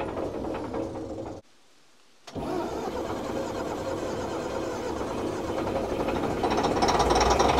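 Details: Old Fiat-Allis bulldozer, about D6 size, six-cylinder diesel, left sitting in the bush for years. Steady cranking chug, three to four beats a second with a brief pause, never catching; crank, no start. Bleeding the injector pump is tried next.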